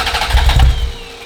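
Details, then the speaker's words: Ferrari 348, first start after engine-out timing belt major service, about 2 gallons fuel: a second of heavy low cranking chuffs that never catch and fade; crank no start because throttle linkage knocked loose, throttle not moving. "Check the throttle. What, when you pushing it? Oh, it's Yeah. not moving."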